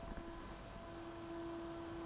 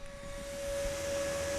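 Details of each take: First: New dual ball-bearing replacement cooling fan for Magnavox ZV427MG9 DVD/VCR on the bench at 7.4 V, 100 mA, microphone at same distance: soft steady whir, quieter than the original; normal. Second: Magnavox ZV427MG9 DVD/VCR combo with a replacement ball-bearing cooling fan that runs faster than spec: loud, steady high whine over a low hum, much louder than the original fan; wrong fan.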